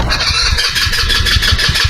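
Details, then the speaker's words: Chinese scooter after main jet upgrade, carburetor refitted empty with no fuel in bowl: steady starter cranking without firing while the bowl refills; normal, crank in short bursts to avoid burning the weak starter. "Your scooter needs a little bit of time to fill up the bowl of your carburetor. If you remember, we put the carburetor upside down. So at this moment, there is no gas inside your carburetor."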